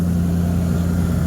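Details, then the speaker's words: 1979 Ford Thunderbird after fuel system rebuild (new fuel pump, filter, rubber lines, sending unit), fuel system primed, running on its own: steady, even low rumble with smooth idle beat, no misses or knocks; idles cleanly. "we replaced the sending unit and now she's running on her own and she sounds healthy listen to this"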